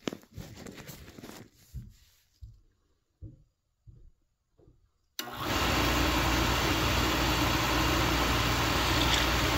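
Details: Oil-fired boiler burner after a fuel filter change, bleeder open during bleeding: several weak sputtering puffs, then the flame catches and settles into a steady roar. Burner recycles until air clears the oil line.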